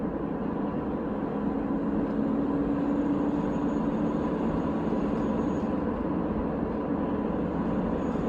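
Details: VW Jetta TDI (BEW engine, 5-speed manual): faint steady whine over road and engine noise only under load, audible in 3rd, louder in 4th, clearly in 5th, started days ago; owner suspects differential or turbo.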